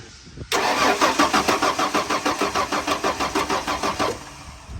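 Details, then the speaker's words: 1994 Ford F150: even starter rhythm about three turns a second for roughly 3.5 seconds, never catches; cranks, no start. No spark seen at the plugs checked; coil suspected, not confirmed. "okay I didn't see any spark on that one either so I think our most likely culprit for this not starting is this coil down here"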